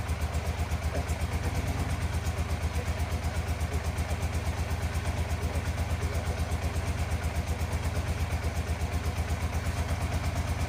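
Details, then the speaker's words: 1987 Yamaha FZR 1000 Genesis with cleaned carbs, old fuel still in lines, not yet warmed up, weak battery: slow loping idle with regular low thump that never picks up; owner feels idle needs to be a little higher. "Like needs to run a little faster than that, but overall I feel like the idle needs to be a little higher."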